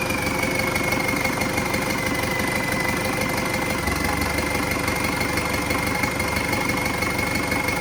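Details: An MTZ-82 tractor diesel with a newly fitted TKR-6 turbo, first start on a frosty day, air intake not yet assembled. It holds a steady idle clatter with a thin, constant high turbo whistle: healthy.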